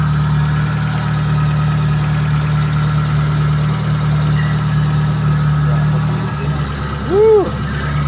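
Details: Mitsubishi Lancer that cranked but would not start, now running after a new ignition coil and ignition module: a steady low rumble at constant idle with no misfire or hunting, then a brief chirp. The engine runs normally.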